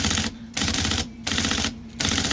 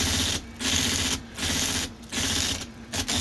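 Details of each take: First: IBM Selectric 1 typewriter with new hub and stiff sticky keyboard, just after flushing fluid into the mechanism: bursts of rapid clattering keystrokes, keys still binding but starting to free up. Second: IBM Selectric 1 with new hub, after oiling the stiff sticky keyboard rack: crisp, even bursts of typing with clean single strikes and no doubled characters; keyboard mechanism working freely.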